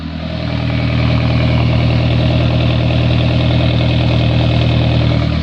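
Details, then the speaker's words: 2003 PT Cruiser GT, 2.4 turbo, idling with the muffler removed: loud, raw low rumble at a steady, even idle with no muffling; open exhaust. "these two point four turbos actually sound pretty good with no muffler on"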